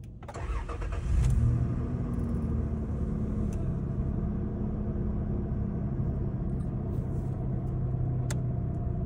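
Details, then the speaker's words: Toyota Land Cruiser V6 after repair of engine noise caused by a broken oil-gallery part feeding the camshaft, filter refitted: engine cranks, catches within a second, settles into a steady even idle with no knocks or ticks; normal idle. "Okay तो अल्हम्दुलिल्लाह गाड़ी बिल्कुल सही हो चुकी है तो इसमें बस छोटा सा पार्ट था"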